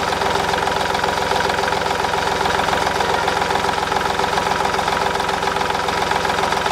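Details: 2010 Smart Fortwo 451, 0.8 turbodiesel, 119,000 km, after fuel filter replacement: even, steady diesel clatter at idle with no stumbling. The fuel system has no air and runs healthy.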